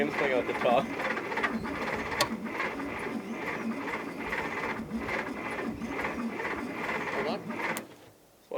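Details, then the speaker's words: 1960 Bombardier J5, unrun 20 years, coil powered directly bypassing key switch with fuel in cylinders: sluggish uneven cranking about two or three turns a second, no firing; suspected rich mixture or distributor timing off, broken plug wire noted. "cranking so slow oh crank it let's say she's a rich mixture you know the timing the timing of the distributor itself might be buggered up"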